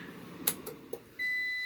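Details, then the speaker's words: APC BN450M 450VA (255 W) UPS with heater load on low, about 700 W, unplugged: handling clicks then steady high-pitched tone that holds; overload alarm, unit dies immediately. "turn the heater on low and pull 700 watts but it doesn't even need to get there let's go ahead and unplug it and it should die immediately"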